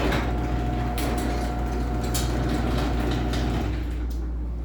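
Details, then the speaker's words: LiftMaster opener running a small door in a loudness comparison between the 84505R belt-drive and the 3265: steady low drone, faint whine, light clanks from door travel; the door is pretty loud, the 3265 is perhaps slightly quieter; normal operation. "is pretty loud on this one but the the two openers are pretty close but if anything I think the 3265 might be ever so slightly quieter"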